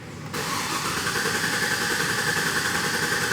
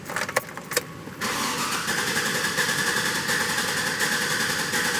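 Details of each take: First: 2007 GMC Yukon 5.3 L after valve spring replacement for misfire, clear-flood-mode start: even cranking rhythm that catches straight away and settles into a smooth idle with no misfires; repair confirmed, normal start. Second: 2007 GMC Yukon with a 5.3 L V8: cranks and catches, needs throttle, stalls, then idles with a rough, uneven, stumbling beat, a nasty misfire and sloppy idle.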